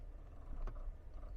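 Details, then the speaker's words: Geely Geometry electric car pulling away; low rumble broken by a sharp metallic clunk from the middle drive shaft, loudest on starting off; not the lower control arm as first replaced, traced to a factory-built drive shaft fault. "咱们先试一下，听见了吗？听到了。现在再起步它就会很明显。"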